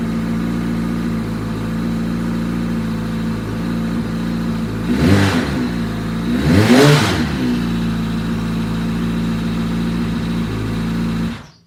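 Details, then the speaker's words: 2005 Yamaha R6 project with temporary fuel hookup, return line plugged: uneven lumpy idle breaks into two ragged rev blips then settles back rough; engine running poorly, though later run sounds good. "don't know how I feel about that sound well not every good deal is a good deal and I think this our six got me"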